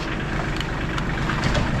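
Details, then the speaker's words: S10 mini truck after rear brake repair, started up before a test drive: smooth, even low engine rumble with no knocking or exhaust roar; runs fine and is no longer as loud as before. "Looking good. You look good in there, Steve. Sounds good too. It isn't so loud anymore."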